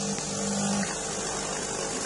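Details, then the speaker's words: DeLonghi EC270 espresso machine after fitting a new 20-bar water pump: even steady buzzing hum with no knocking or straining while priming before water comes out; pump noise normal. "Ah, déjà le bruit est normal. C'est bon signe."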